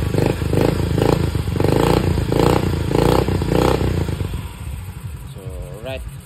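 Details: Yamaha Mio i 125 with TPS reading about 0.68 V closed, 4.14 V open: several quick throttle blips, revs climb and drop cleanly, then settle to a steady idle with no stumbling; runs healthy.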